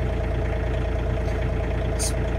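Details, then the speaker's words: 2016 John Deere 3039R diesel tractor, cold start at about 14 degrees after sitting two weeks, after a long glow plug cycle; steady, even idle with a low regular beat, slightly fast from the cold start, running fine. "sitting for a couple of weeks in this temperature but she's doing really good"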